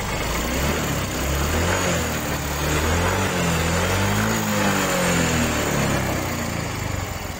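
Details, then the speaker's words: Yamaha Mio 125 scooter idling smoothly after valve clearance adjustment and carburetor cleaning; the earlier sewing-machine valve ticking is gone and the idle is even and healthy. "Kita coba hidupin dan kita dengarkan kembali ya bro. Mudah-mudahan halus. Iya. Nah, sudah kembali halus."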